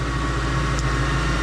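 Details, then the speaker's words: Kenne Bell supercharged Mustang Cobra after fitting Ford Performance 47 lb/hr injectors, new fuel pump and retune: smooth, constant low drone with faint steady hum, no stumbles or surges; clean, healthy idle. "all in all on here the vehicle is working great"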